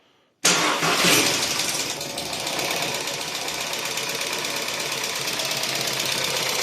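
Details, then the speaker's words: Volkswagen Caddy 1.2 TSI, apparently poorly maintained oil, after oil priming by cranking: engine fires into a loud rapid metallic top-end clatter from hydraulic lifters; one pumps up, then all quiet within a couple of minutes. ">> Громковато. Ну ждём. Оп, один прокачался."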